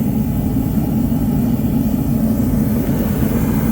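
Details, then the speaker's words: Diesel-fired rental heater tested after auction: with the thermostat turned above the 86 reading it lights and runs with a steady, unbroken low roar, no sputter or surging; normal burner operation. "so if we kick this above 86 oh yeah sounds like it's burning oh yeah oh and that runs on diesel"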